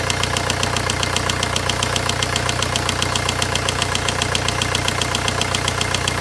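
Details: VW 1.9 engine at steady idle: sharp, even tick about two and a half times a second over the engine; a knock whose source isn't clear yet.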